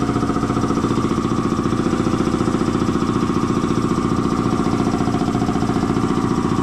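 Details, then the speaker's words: Air compressor slowing down after an oil change to synthetic oil, first thought to be tying up: steady pumping thump about two and a half per second, rhythm sagging under load; a way-loose drive belt, tightened afterwards, then worked fine. "Oh yeah, way loose. Well, let's tighten that up and try again. Maybe that's all it was."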